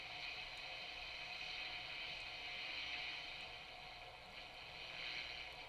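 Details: Sony TR-1819 six-transistor AM radio (1968–70) after recapping, batteries refitted: soft even hiss with no station tuned, no crackle or dropouts; working normally, volume control fine.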